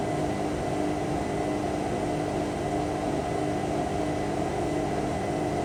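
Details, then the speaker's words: Indesit IWC6125 washing machine, first wash after fitting new motor brushes, program reset from Cotton 90 to Cotton 70 after glitching; low-speed spin around 300–400 rpm, steady whirring hum with faint constant tone, no knocks or scraping; running normally. "Oh, sods off on one there. Yeah, it is, I can hear it. That's 400. 300, 400."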